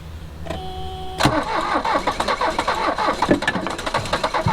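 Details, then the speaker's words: Mercedes 240D OM616 diesel that sat 10–15 years with sludge fuel. Starter whine, then ragged, uneven chuffs as some cylinders fire irregularly; it stumbles but never runs. Smoke and something spraying are seen. "Ooh, we got some smoke and something spraying out here, so let's try again here in a minute."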